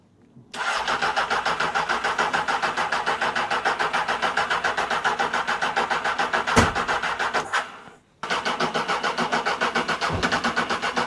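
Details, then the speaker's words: £400 Honda CB600 Hornet motorcycle, choke on, another battery fitted on third attempt; starter churns about three and a half beats a second for seven seconds, pauses, cranks again without catching, hard starting, prolonged cranking. "Well, that wasn't so easy to get started. It should have been easier than that, but it runs anyway, so we're just going to let it warm up a little bit."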